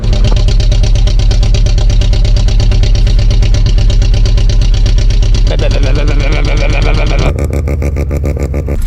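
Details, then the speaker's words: Engine with compression readings of about 12, 2 and 3: lumpy, misfiring idle with heavy stumbling thump, likened to a street-ported RX-7, after worsening clacking; owner suspects it ran far too lean and holed pistons, oil pressure still present. "Et maintenant elle fait au ralenti, elle fait un bruit de Mazda RX-7 avec le préparé Streetport."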